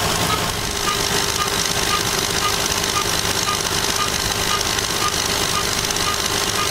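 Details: Lexus engine running with a light tick about twice a second over a steady, hissy running sound; strange noise, cause unknown.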